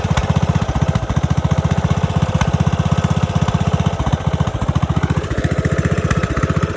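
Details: Craftsman DLS3500 riding mower, sat outside for years with old gas and dead battery; single-cylinder thumping about four beats a second, slightly uneven and stumbling under load; owner suspects carburetor needs cleaning or fresh gas; rough running.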